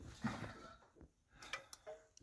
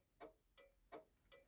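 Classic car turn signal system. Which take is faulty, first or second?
second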